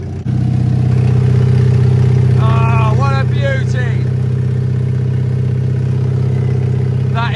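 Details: Mercedes W123 diesel: very loud, raw clatter with a deep, open exhaust roar at idle; exhaust leak.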